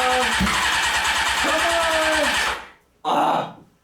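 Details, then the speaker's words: Honda CBR600 on starter fluid: catches and runs evenly, apparently on all cylinders, for about two seconds, then dies, and a second catch fades; it won't keep running on the carburettor gasoline. "alright so we proved that it will fire up I'm just having a really hard time getting it to continue to run on the gasoline that's in the carburetors"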